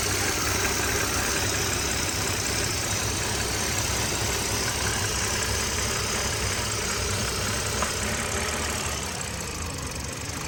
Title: BMW E60 N52 hissing sound from intake manifold area when oil cap is open